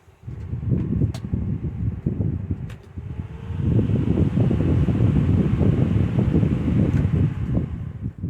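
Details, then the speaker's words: 2014 Lasko 16-inch table fan model 2506 switched off after running, replacement motor from a mid-2000s 18-inch stand fan: soft low whooshing rumble easing off slowly, no rubbing or clicking; long free spin-down credited to better bearings and washers. "So the bearings and washers this thing uses are actually better than the ones on the original motor. So that's why it has a much longer spin down. That's really fascinating."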